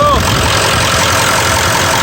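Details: Ford 7.3L Powerstroke diesel, started in neutral just after fuel filter replacement and fuel system priming: steady, even diesel clatter at idle with no misses, knocks or stumbles; normal idle.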